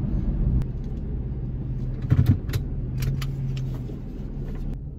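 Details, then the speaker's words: Nissan Xterra at operating temperature, idling and heard from the cabin after a broken exhaust heat shield clamp was replaced with a plumbing clamp. A low, steady, smooth idle rumble with no rattles or knocks underneath; the heat shield no longer rattles. Normal idle. "tell you what it's pretty buttery smooth i don't hear anything from the cabin"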